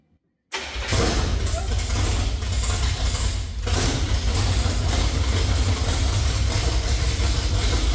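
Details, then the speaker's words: 1968–69 Chevrolet C50 truck engine gives a steady heavy cranking rumble for about eight seconds but never fires after the distributor cap was refitted; the carburetor is suspected of not getting fuel and may need a rebuild kit. "not sure that our carburetor is getting the fuel in it 100% might have to tear it apart and put a kid in it"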